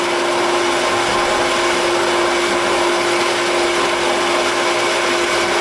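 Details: Half-horsepower shallow well jet pump, 2-inch well, 40-gallon galvanized tank, after capacitor, start switch and pressure switch replacement, waterlogged tank drained, air volume control fitted, flow throttled: steady, even motor hum and smooth flow, no chatter or cycling; running normally.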